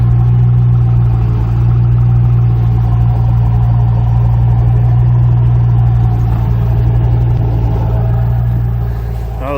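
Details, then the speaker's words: 2006 Ford Mustang GT 4.6L 3V V8 running after replacing all eight ignition coil packs, with Flowmaster exhaust: deep, steady burble with even firing pulse and throaty exhaust purr; all cylinders firing cleanly, runs healthy. "So it's time to fire her up and make sure these new coils function properly. Sounds good. Listen to this exhaust purr."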